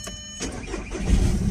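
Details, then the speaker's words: Audi TDI diesel, cold start after replacing intake manifold flap actuator (P2015), car unused for a week: short sluggish crank before catching into low idle; weak battery from sitting suspected, engine light still on. "très faible c'est normal avec il a pas bougé pendant une semaine le temps que je reçois la pièce"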